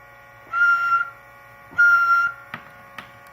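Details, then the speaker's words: Cobra 29 Competition CB radio just back from return, monitored on a separate Uniden over an external 11-meter antenna: two keyed bursts of a harsh, high buzz that stops on unkey, the same buzzing at any mic gain, cause unknown. "No matter how I do it, no matter what the mic gain is, I still get the same buzzing all the time."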